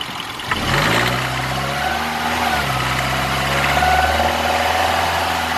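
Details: 2009 Mini Cooper Clubman S: engine fires, flares and drops to idle with a low, slightly uneven purring rumble underneath; owner doesn't know the purr's cause.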